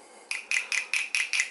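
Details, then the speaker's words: Symmons TA10/C5 shower valve spindle, previously stuck with no clicking, freed by hot water, vinegar soak and tapping; now turns freely with seven crisp metallic clicks about five a second. "And sometimes you gotta, depends on where it is, you gotta tap on it on a piece of, like on a windowsill or on a piece of wood outside, whack it to get that thing loose. You can hear it clicking,"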